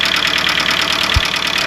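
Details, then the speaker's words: Audi A2 1.4 (AUA) petrol engine, bought with engine damage, idling with the hood off: a loud, fast metallic rattle-tick that shakes the engine. The previous owner says hydraulic lifters; the owner hopes it's not piston slap. Lifters and timing belt are to be replaced; cause unconfirmed. "Der Motor klappert ohne Ende. Ich habe den ja quasi mit Motorschaden gekauft. Der Vorbesitzer meint, dass es die Hydrostößel sind."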